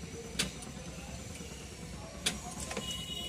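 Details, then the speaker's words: Tata Ace Gold, battery 12.33 V, dynamo indicator not lighting: key turned twice, each a single click with no cranking; starter circuit blocked by a misadjusted clutch switch. "Select కొడితే ఏమవుతుందో చూద్దాం. Tick one sound వచ్చి ఆగిపోతుంది అన్నమాట"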